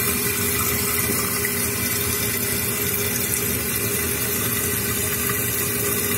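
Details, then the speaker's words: Toilet tank refilling after flapper reseated: steady hiss and rush of water, even with no gurgle or surging; flapper now seals, though the chain is a bit tight and needs a thumb's width of play. "The water's rising. Looks like we created a seal with the flapper."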